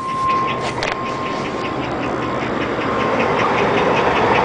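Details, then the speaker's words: 2001 Chevrolet truck idling: thin high squeal with quick regular chirps over the rumble, a slightly slipping belt, not a tap. "that is not a tap that is the belt squeal in there a little bit"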